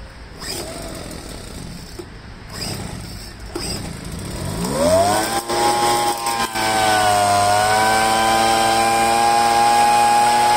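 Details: Poulan handheld two-stroke leaf blower after fuel line replacement and choke-cycling: rough sputter at first, then catches and holds a clean, steady high whine.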